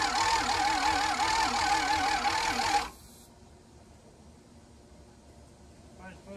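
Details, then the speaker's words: Long-sitting abandoned diesel motorhome: the starter cranks steadily for about three seconds, then stops without catching, despite 12.13 V at the battery and starting fluid. "we think the fuel is just not getting there so we're trying to get all the air out of the system got some more diesel putting it in there but still nothing"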